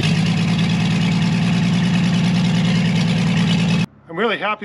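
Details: Chevrolet Blue Flame stovebolt six, long-sat engine on a pallet and out of the truck, test run with a sink instead of a radiator, thermostat opened manually, thicker coil-to-points jumper wire: steady even low rumble, no misses or knocks, then shut off; healthy.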